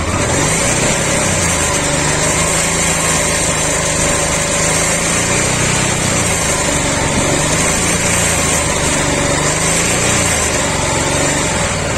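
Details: Honda Africa Twin RD07 engine running after retightening a part and restarting: loud running with busy mechanical clatter and no single clear knock; the engine noise persists, cause unknown, timing suspected.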